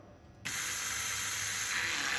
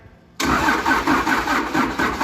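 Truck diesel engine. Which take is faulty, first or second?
second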